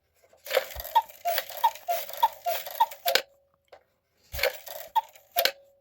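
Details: Gebr Kuner 1950s cuckoo clock with a modified Regula 1 movement, strike tested after oiling the gears. Crisp, evenly spaced clicks run through the strike, pause, then resume without catching; the strike train moves freely.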